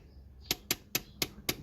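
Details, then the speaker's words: Honda Accord handbrake after cable adjustment: five crisp ratchet clicks about a quarter second apart as the lever comes up and gets hard to pull; correctly adjusted. "get about five clicks and it gets quite difficult here so that's what we want"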